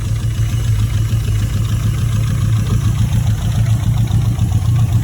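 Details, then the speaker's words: Mitsubishi Evo 4 at 167,000 km during its first drive, with the oil pressure light on: a low, lumpy idle with uneven clunky thuds three or four a second under the exhaust drone; cause not pinned down. "I don't like how clunky it is especially when you're ever"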